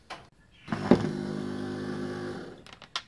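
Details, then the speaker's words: Power window motor from an XC Ford Fairmont restoration, run on the bench; about 1.5 seconds of rough buzzing whir, noisiest of the set, owner suspects dry bearings and plans to disassemble it. "That one's clearly the noisiest of all, this one here. So I think we might pop him apart and have a look and see if we can figure out why she's so noisy. Might be a bit dry on the bearings."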